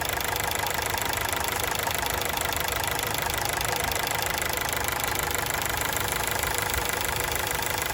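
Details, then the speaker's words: Honda City on factory CNG, after injector cleaning and replacing two of four leaking ignition coils to fix severe stumbling: loud close-up even idle beat about three per second with no misses; idle now smooth. "เครื่องก็เดินนิ่มแล้วนะนิ่งเลยเสียงเาะเลยดีขึ้นละโค"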